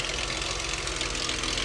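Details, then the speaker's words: Dodge 2.7L V6 at idle, AC off: fast busy metallic clatter over steady idle, seemingly from one side; owner suspects valve train noise, possibly sludge; unconfirmed. "Y'all hear that? Uhoh. God, that sound like valve train. Oh boy. 27 not known for val train ticking."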